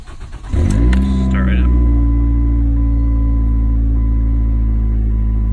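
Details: 2002–2007 Ford Focus that wouldn't start with a good battery, after replacing the engine control module fuse: short crank, clean catch, then a steady smooth idle with no stumbling or misses. It starts and runs properly now.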